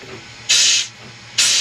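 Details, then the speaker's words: Old Detroit diesel truck with air starter, long unused, tank being aired up: two short sharp air-hiss blasts with no engine turning; not enough tank pressure yet to crank. "Not enough air yet. Come on, girl."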